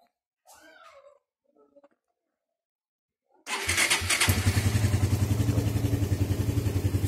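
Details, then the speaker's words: Suzuki Satria FU four-stroke with PE 26 carburetor, engine cold, choke on, electric start: starter catches at once and settles into a steady, evenly pulsing idle; healthy cold start. "Kalau setelan karbunya bener, kelistrikannya bagus, gak bakalan susah hidupnya ya. Gampang-gampang aja hidup motornya."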